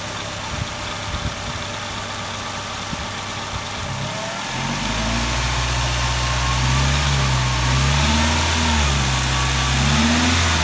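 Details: 2000 Tracker petrol engine idling with a faint, light ticking under a slightly wavering hum from a sticky lifter.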